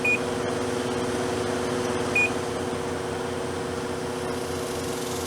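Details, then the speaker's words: 8,000 BTU, 8 A window air conditioner powered by a Harbor Freight 100 W solar kit through an inverter: steady, even compressor and fan hum with two short beeps; starts and runs normally. "and surprisingly it runs it it is a uh 8 Amp 8,000 watt V 8,000 DT"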